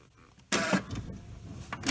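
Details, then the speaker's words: 2017 Kia Sedona left driver-side sliding door with an intermittent fault: two short whirring bursts from the door actuator motor that stop without the door moving, as the latches fail to release; the actuator (part 81440-A9511) gets replaced. "all right so what's happening is the motor is trying to activate when i turn the door but there's some latches that hold the door um in position that aren't aren't releasing"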